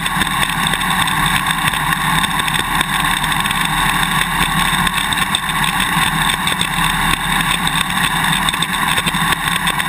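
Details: GoPro Hero 2 on a motorcycle swing arm while riding: fast irregular clicking over steady engine and wind noise. The quick-release buckle is chattering loose in its mounting bracket; fit the vibration plug, and tape between bracket and buckle eliminates the extra clicking, with straws seeming to work as well.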